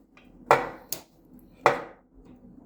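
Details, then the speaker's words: Newly installed dryer door switch (part 3406107) on an Inglis dryer, after replacement: two crisp clicks with a clean positive snap as the switch is pressed, actuating properly. "hear the click? It's a good sign."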